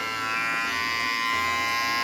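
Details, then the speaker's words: FX hair clipper just fitted with an upgraded Tomb45 motor and battery and the blade reset: strong, steady high-pitched buzz with even pitch and no rattle or stutter; still loud but running hard and healthy. "They go crazy now. They're still loud. It's like all of them, but I don't know if you can hear it."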